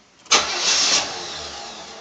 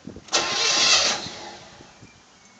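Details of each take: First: 1985 Chevy Caprice Classic, 305 V8, about 88,000 miles, cold start after two throttle pumps: starter grinds over in one short burst, then the engine fails to catch and fades away; a non-start. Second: 1985 Chevy Caprice Classic, 305 V8 with 4-barrel carb, about 88,000 miles, cold start after pumping the pedal: a few cranks, then it catches and settles into a steady idle. Wobbling noise from the front, runs good.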